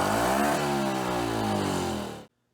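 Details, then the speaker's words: 1973 Johnson 2 HP outboard (model 2R73B), idle since 2006, carburetor rebuilt; revs up and wavers, then dies instantly as if switched off. Owner suspects electrical cause (weak spark, cracked coil), replacing coil, points and condenser; not confirmed. "it sure sounds like the way it's revving up and then it's like as if somebody's shutting off a switch i suspect it's electrical"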